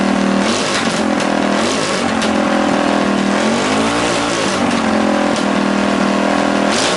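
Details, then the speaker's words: Rebuilt Tillotson 212cc single from a Mega Moto 212 minibike, started in snowy weather: revs drift up and down instead of settling to a steady idle; likely just needs the carb idle adjusted. "all right I think we need to adjust the carb or the uh the idle just a little bit there"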